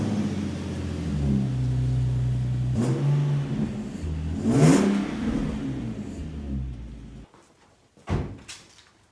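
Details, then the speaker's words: Nissan 370Z, after fitting NISMO true-dual exhaust with 1320 Performance test pipes replacing the rattling stock system: deep, smooth burble rising cleanly on revs and settling back, slightly louder, no rattles or buzz; healthy exhaust note. "That sounds absolutely incredible. It's like the same sound, but A little louder. I'm stoked."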